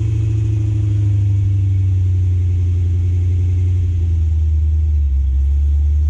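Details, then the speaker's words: Cadillac CTS-V (gen 1, V8, with a cam) found abandoned, idling after a first start: deep, steady rumble with a smooth, even beat and no ticking from the top end; good oil pressure, no unhappy lifters. Normal idle. "sounds like the motor's got good oil pressure i don't hear any unhappy lifters or anything"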